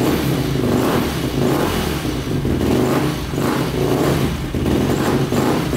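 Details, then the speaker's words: 2005 Yamaha YFZ450 big-bore quad, first start after rebuild and shifting fix; single thumps steadily and rises and falls cleanly with throttle blips, no knock or rattle, though exhaust pipe glows red hot; normal revving. "it sounds good runs good"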